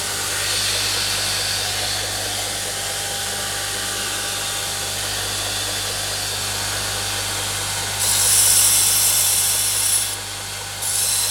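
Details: Homemade belt grinder running. Even motor hum under a bright, steady belt hiss, with a brief higher rush near the end; it runs smoothly.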